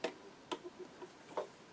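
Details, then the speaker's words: Sewing machine with newly fitted needle plate: light sharp ticks as feed dogs at full stitch length strike the edge of the plate slot; stops at shorter stitch, fix by filing burr or adjusting feed dogs lengthwise. "зубья при подходе до конца или же когда вперед и на всю длину стежок то у нас получается что вот этот край он стучит пластину цепляет пластину"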